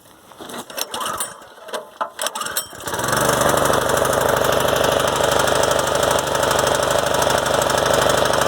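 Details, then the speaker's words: Predator 212 engine on a garden rototiller after DIY carburetor replacement, test run with air cleaner off, choke on: a few pull-start tugs, then it catches and settles into a steady, even beat with no misses and no fuel leaking; running normally. "fire's up no gas leaking good"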